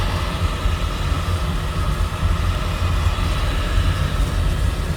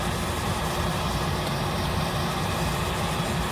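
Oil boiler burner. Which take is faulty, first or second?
second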